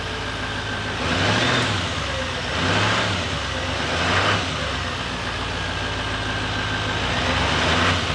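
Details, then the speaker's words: 2018 GMC Sierra 3500 HD rolled salvage truck: engine revs up and down smoothly, no whistle or leak hiss; noise gone, runs normally. "looks like everything is fine it doesn't make that noise no more and again this pipe running smoothly I didn't have to fight with it I think now it's perfectly fine"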